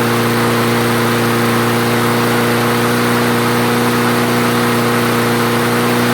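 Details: Craftsman self-propelled mower after the carburetor jet was cleared, restarted with fuel and three primes: steady, even drone at constant pitch, no surging, hunting or stumbling; normal running.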